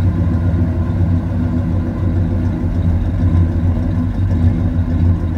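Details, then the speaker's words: 1976 Chevrolet Chevelle Malibu V8, warm, just fitted with Edelbrock intake manifold and four-barrel carburetor, timing about unchanged: idle wanders and surges unevenly, swelling and sagging every second or so, won't settle; owner plans idle air mixture screw adjustment. "you can tell it's doing its own thing still it's not quite right"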